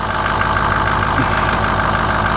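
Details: 2004 Ford F-250 6.0 diesel, started with a jumper box after sitting for days, idling after a new BulletProof Diesel FICM power supply fixed a crank-no-start from low FICM voltage. Steady, even idle with regular light clatter, no misses. Normal.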